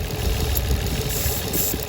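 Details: 2004 Nissan Maxima 3.5L with codes P0171 and P0174 (lean bank 1 and 2) and rough, hunting idle: thin steady hiss near the intake from a PCV valve-to-intake hose leaking air; hose to be replaced.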